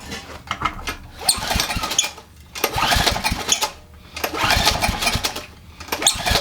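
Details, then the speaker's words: Generac 3000 watt generator with Enduro overhead-valve engine, bought as a mechanic's special project: engine catches in short bursts, surges and dies about every two seconds; owner suspects the governor is set up wrong. Fires but won't keep running. "you hear that all right I'm not crazy almost like the governor is set up the wrong way I didn't even think about the governor"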